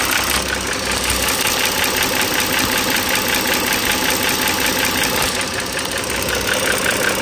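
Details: 2009 Dodge Journey SXT V6 (3.6L per title, 3.5L stated) at idle, mic close to engine: light quick metallic ticking about 160 per minute from the top end; owner suspects the rocker arm and shaft assembly needing replacement, not confirmed.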